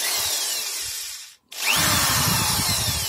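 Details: Protool corded screwdriver after repair: steady high-pitched whir, brief stop, then spins up again without the former rattle at start and running, fixed by tightening screws and gluing a weak factory-defective housing part with sealant.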